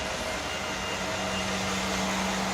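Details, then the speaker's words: 2013 Mercedes GL550 (X166) after a new valve distribution block and an Arnott AIRMATIC compressor (P-3268) were fitted: the compressor airs up with a steady, even hum and light hiss, with some noise but not bad, no overheating or malfunction. Normal. "okay great it's airing up there is definitely some noise but it's not bad"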